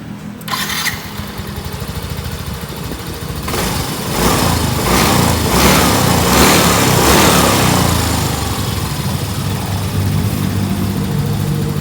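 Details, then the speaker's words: Yamaha Mio M3 after camshaft replacement, which fixed a rough ticking noise that appeared when warm and at high rpm: the engine catches quickly and settles on a smooth, even beat with no top-end ticking, showing normal running. "karena engkau hamdulillah udah Hai kembali normal untuk suara mesinnya enggak ada soal ngetik-ngetik lagi ya teman"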